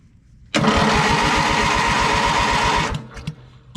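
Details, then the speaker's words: Craftsman LT1000 riding mower, Briggs & Stratton 19.5 engine, carb top off: starter cranks steadily about eight compressions a second, never catches; fuel present but carb full of water, suspected plugged jet. "yep we got fuel i'd say that we got plugged jet and it's full of water it doesn't run off water so let me get that cleared out"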